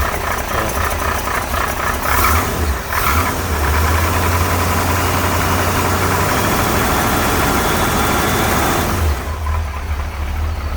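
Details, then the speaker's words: 1968 Corvette with a 1969 350 small-block Chevy V8 and 1972 heads, cold start after sitting two weeks, no choke, some blue smoke smelling of gas; loose, uneven top-end rattle over the rumble, which the owner suspects is worn lifters. "This car has a couple rattles. I know it sounds probably sounds bad."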